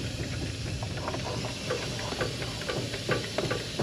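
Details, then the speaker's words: Freightliner M2, unloaded, air leaking down within minutes of shutdown, leaking leveling valve suspected near rear axle: soft steady hiss with irregular small creaks and ticks as the rear suspension settles, air bag creaking while deflating. "at that you can hear it creaking"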